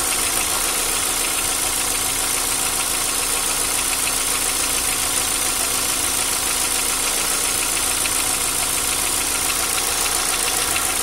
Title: Стук гидрокомпенсаторов.